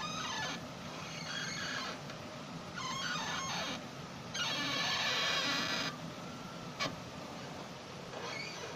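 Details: Datsun on-Do suspension: repeated high rubbery squeaks in bursts as the body moves, with a ball joint suspected. A suspension squeak.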